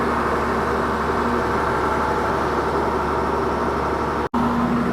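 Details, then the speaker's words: 19-year-old diesel log loader, fired right up: smooth, constant diesel running with an even note and no knocks or misses; engine sounds healthy. "yeah that thing fired right up dude don't don't hit my truck wow yeah pretty easy sounds good too"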